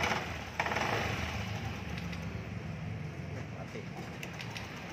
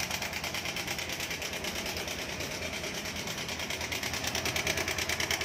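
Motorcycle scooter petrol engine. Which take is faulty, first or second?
second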